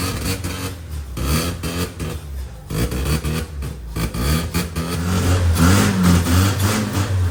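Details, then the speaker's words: 1985 Mazda RX7 rotary, premixed with two-stroke oil, drained bad fuel: surges and sags in bursts, can't hold idle; fuel starvation, fuel lines to be checked for clogs. "so now that we've gotten it running and we know it's not getting fuel like it should we're going to start with taking fuel lines off blowing through them trying to see if they're clogged up or anything"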